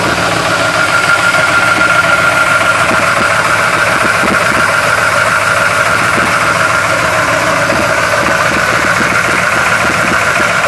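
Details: 1971 Chevy Blazer cold start, idling with an uneven, stumbling beat and irregular pulses. Rough idle, cause not clear.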